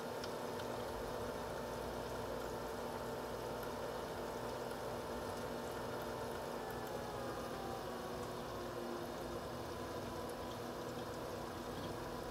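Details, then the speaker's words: H220 AIO pump recorded up close by itself, no fans: soft steady whir with faint coolant trickle, no grinding or rattling, only about 5 dB above ambient despite sensitive mic; normal pump running. "bear in mind this is also only a five decibel increase so however loud it sounds in the video it's actually only five decibels louder than ambient"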